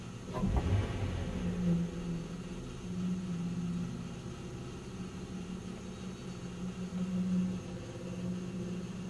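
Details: 1997 Nissan Maxima at idle: low droning resonance hum that swells and fades with a faint uneven beat underneath; it goes away with a little gas and returns at idle, origin unknown.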